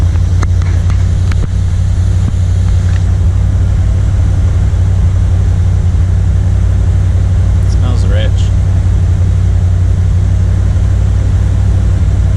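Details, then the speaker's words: 1979 Corvette L82 V8 with carburetor, cold start in neutral after a couple of pedal pumps: steady burble at raised fast idle, fairly even; idle then drops and stalls, owner believes as choke opened; owner suspected vacuum leak, ruled out. "Drops down. I got a phone call right as it was running and idling down, but it stalled as soon as I believe the choke probably opened up."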